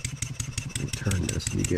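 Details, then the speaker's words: Stuart 7A steam engine running on air after valve eccentric timing adjustment, tight spot reduced: quick even exhaust beats, then a hard knock on each stroke when upward pressure simulates load on the output shaft; cause not yet found, disassembly planned. "if I just put a little bit of upward pressure I can feel it on this face you hear it Knocking"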